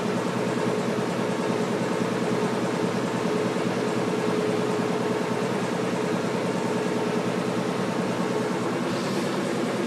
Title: Washing machine making noise